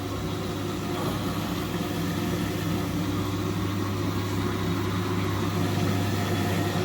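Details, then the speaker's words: Indesit 9 kg, 1400-spin washing machine running a real wash with top and back covers off, on its first drain: the drain pump is energised and emptying. A steady low hum over an even churning water rush, with no knocking or grinding, is normal drain pump operation. "Right, so it's on its first drain, it's emptying. It's emptying the water out, as you can hear. So now the pump's energised."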